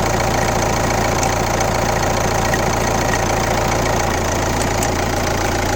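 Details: Kia Ceed 1.6 CRDi D4FB diesel at 115 km, idling with a regular knock of roughly three and a half per second over even clatter; abnormal engine noise, cause not identified.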